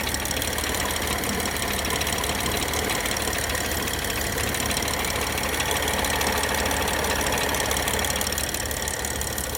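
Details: BMW N55 engine on a cold start: steady rapid knocking, about three per second, over the idle, seeming to come from the cylinder head. Cold start knock, source still unknown.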